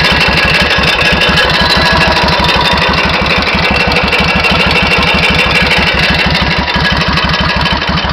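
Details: 1991 Suzuki VS1400 Intruder V-twin, true mileage unknown (engine supposedly ~24,000 km); loud metallic hammering knock about three times a second at idle over the exhaust beat, quickening with revs; engine knock, cause unknown.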